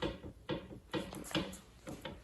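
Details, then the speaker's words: Ford 351C long block being assembled for a 1970 Mustang: the crank is shoved back and forth by hand, giving five dull clunks about every half second. This is normal crankshaft thrust clearance, measured at 5.5 thousandths with only the upper bearing in the block. "That means that we have thrust clearance. We just need to measure it and check it."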